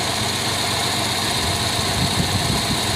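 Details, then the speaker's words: 1993 Chevy Lumina petrol engine restarted after sitting at least two days with an idling issue: steady, even idle with a faint hiss, no clear stumble (owner notes a long-standing very minor occasional misfire); idling normally now. "right now it sounds like it's running normal now to be fair I did sit like at least two days"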